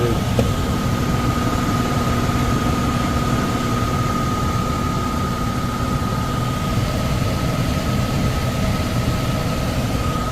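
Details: Likely downstairs furnace unit, complaint of fan not turning on: blower runs with a loud steady drone, high hum and low rumble, shaking hard; tech suspects it is overamping and shutting off, and will check rated amps and capacitor.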